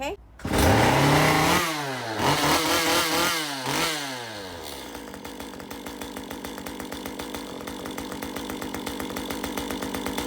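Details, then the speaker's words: Stihl MS 194 T chainsaw after crankshaft squeal repair (filed behind crankshaft, greased bearing, clutch refitted): revs climb and fall cleanly, then settles to an even idle patter with no squeal; normal running. "No more sound. So, we fixed the problem."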